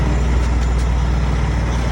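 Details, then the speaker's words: Volvo truck after fixing an air dryer/governor purge fault: deep, steady idle with the compressor working underneath and no purge hiss; the air system is building pressure normally again. "And she's starting to build air again. Perfect."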